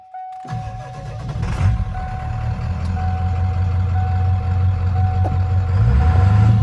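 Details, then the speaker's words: 1996 Ford F-250 7.3L diesel whose glow plug relay stuck closed and burned up, with the relay wiring disconnected. The engine catches within about half a second and settles into a steady, even idle: a normal start, charging better than before. "All right, it's moving."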